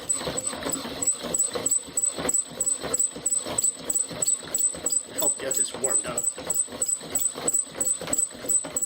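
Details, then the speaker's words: Pump drill fire-by-friction set, cedar spindle on pine hearth, heavy off-center flywheel spun slowly: rhythmic dry squeaking with each stroke, rubbing without biting; glazing suspected from oil, not enough friction. "now you hear all that squeaking sounds like there's a bit of oil in there or something you can tell by the sound we're not getting the friction that we want it's really just glazing"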